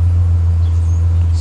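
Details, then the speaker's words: 2005 Silverado that had been misfiring on cylinders 1 and 2 and sat for a year, after the repair parts were fitted: a deep, even idle with no stumbles or misfires, now running smoothly. "start it right up and i can already tell you it's running nice and smooth"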